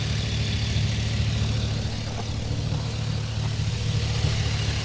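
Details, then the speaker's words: Chevy Vortec V8 truck after tune-up with new ACDelco iridium spark plugs and plug wires: deep, even burble at idle with steady rhythm, no misses or ticks; normal idle. "This thing is running nice and smooth now. We got it tuned up. No problems. Listen to that baby purr."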